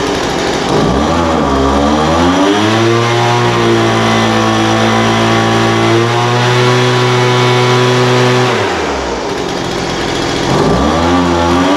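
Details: Poulan Pro 200 mph two-stroke leaf blower, received as a non-runner, after carburetor adjustment: idle mixture leaned out from too rich and top end tuned. Picks up cleanly, revs up and holds a steady high pitch, then drops back to an even idle; running smoothly.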